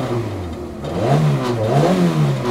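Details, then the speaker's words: Car rescued from the scrapyard, just started with a new battery and still cold, so it is revved only gently. Two smooth blips rise and fall with a throaty exhaust. The exhaust noise is called normal, and the engine seems to run well. "On va pas trop tirer dedans, elle est froide, hein, mais... En plus, il a l'air de tourner vraiment"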